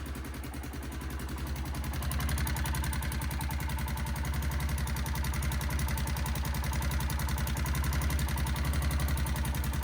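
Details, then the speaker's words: 1993 Kawasaki Bayou 400 4x4 single-cylinder at steady idle just after an oil refill, a light fast chatter over the thump; owner suspects loose valve clearance, possibly the head pipe. "think it does have a little valve noise. Hopefully it's valves anyways, besides the head pipe, but you can hear a little chatter in there."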